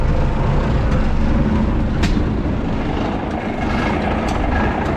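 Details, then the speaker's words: 1978 S2600 diesel truck after 5°F overnight, about 17°F now, no glow plugs, block heaters not plugged in: deep, steady rumble settling into an even beat, no misses or knocks, started better than expected; normal diesel running after cold start. "it's been brutally chilly so this motor probably is not very happy does have plug-in spots i probably should [Music] that started better than i expected it's cold"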